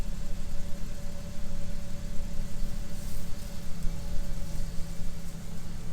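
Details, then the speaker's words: Wheelchair van from a nursing home started on a Gooloo GT3000 jump pack: steady low rumbling idle with rough uneven edge, no clear knock; owner believes it has a cracked cylinder head. "This is a wheelchair van here. It's got a cracked head on it, I believe. So with a cracked head, it's not really worth much"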